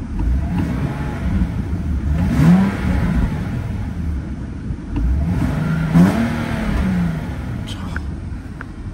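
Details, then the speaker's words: Car with a replaced clutch, in a Copart lot: two quick throttle blips, pitch rising cleanly and dropping back smoothly with no knocks or rattles; sounds healthy. "it sounds healthy it sounds really healthy steering feels good and solid"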